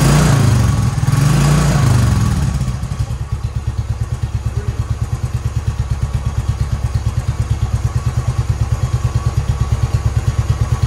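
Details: 2010 Royal Enfield Bullet Electra EFI single, 965 miles, first start after sitting for years, with fresh fuel, new battery and the fuel leak repaired: it catches with a brief rev, runs smoky, then settles into an even slow thump of about three beats a second.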